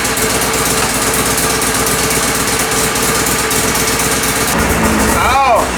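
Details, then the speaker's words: Mazda RX-7 rotary, fuel being added: uneven, stumbling, snowmobile-like note that never settles; ECU loses crank/RPM signal above about 1,800 rpm, causing rough running. "it's losing RPM signal. Yeah, once it goes above 1,800, it loses RPM. So, it's losing RPM signal up top."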